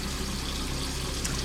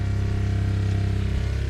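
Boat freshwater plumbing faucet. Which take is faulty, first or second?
first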